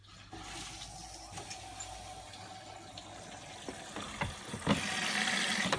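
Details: Bosch WFK2801 washing machine, test wash on 30-degree coloured cottons with 1400 spin, after sitting in a shed: steady rush of water filling the drum with faint clicks and sloshing, nothing odd; inlet valve fills normally.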